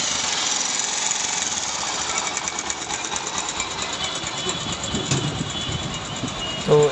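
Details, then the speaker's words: Bajaj Pulsar UG4 motorcycle, run about 3 to 3.5 months after a previous repair elsewhere. Harsh clattering with a loose uneven knock three to four times a second over rough rattle; connecting rod and gearbox noise before engine teardown. "পরে আসে আমাদের এখানে, আবার gear বক্সেরও sound ছিল"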